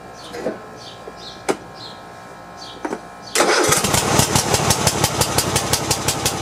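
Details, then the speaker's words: Cub Cadet i1050 zero-turn, left outside for years, after new pushrods, ignition and PTO switches, and old fuel replaced with fresh treated gas: quiet, then it catches within seconds and settles into an even, steady thump. "i pumped all the old gas out and put some new stuff in and put some ethanol treatment in it to try to stabilize it a little bit but let's see let's put this down and uh let's see if it starts"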